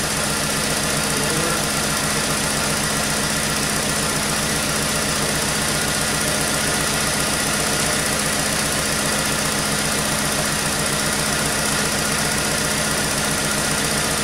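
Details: 1996 Chevy S10 2.2 L with over 260,000 miles, codes P0200 and P0302, during injector circuit testing: idle with an uneven, lumpy beat and a recurring stumble under a steady hum; cylinder misfire.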